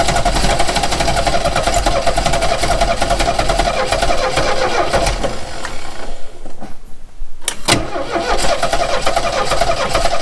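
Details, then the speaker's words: 1969 Renault 16 petrol, not run in years, external fuel supply, second try with starting spray and the original HT lead refitted: long even cranking with ragged sputters, pause, another burst; never runs, owner thinks maybe one cylinder firing. "It seems to be firing on maybe one cylinder. Wants to go. Well, that didn't work, did it?"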